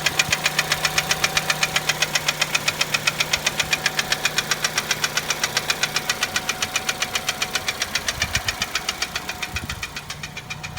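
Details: 2010 Chevrolet Cruze 1.8, automatic, idling at normal rpm: a sharp, even metallic knock about four a second tied to engine speed. Engine knock, put down to a broken connecting-rod skirt.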